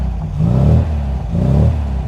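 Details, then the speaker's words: 1979 MG MGB GT with muffler deleted, long centre-branch straight-through exhaust and fast road cam: engine blipped twice, deep, loud throaty rise and fall, much louder and clearer than a stock MGB. "right mgb's don't sound like that as normal so we've two things going on here we've deleted the muffler through the long center branch exhaust system right so it's louder and it's clearer air coming straight out"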